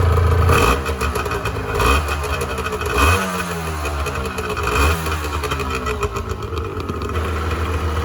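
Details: 1986 Honda NS400R 400cc two-stroke triple after 11 months standing, run on choke to empty the carbs for storage: rich, blubbery revving that surges and sags unevenly every second or two as the carbs starve; running out of fuel.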